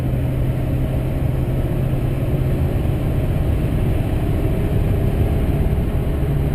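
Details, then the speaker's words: 2005 GMC Sierra 2500HD Duramax diesel on its first interstate run after installing a 4in aftermarket exhaust (Corsa front pipe, Jamo catback, FTE resonator muffler): deep, even low drone with steady road rumble at highway cruise, aggressive tone, little drone, no rattles; healthy exhaust. "bad see it's giving it a nice aggressive tone I ended up uh using the Corsa front pipe the jamo 4in catback piping as well as the FTE diesel resonator muffler I'm not hearing really much Drone at all"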